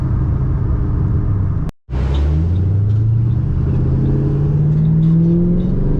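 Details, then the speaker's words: 2005-2009 Mustang GT after fuel filter change, test drive: low uneven rumble with stumbling lumpy exhaust beat, misfiring only below 3,000 rpm, clean above 3,000 and at wide open throttle; owner suspects cam phaser. "it's only misfiring at low RPM now yeah wide open works it's just below 3,000"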